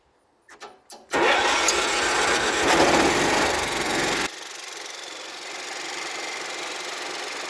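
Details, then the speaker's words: Cub Cadet 1330 mower, cold start: a few quick cranks, then it catches and runs rough and smoky before dropping to a slow, lazy idle. The idle is not high enough yet, as it hasn't run long; the throttle needs adjusting. "smokey for now anyway not idling high enough yet but it hasn't run a long time let it burn"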